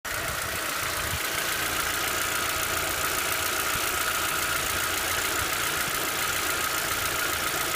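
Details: VW Passat B5 hot engine: quick even light ticking over a steady idle, from hydraulic lifters.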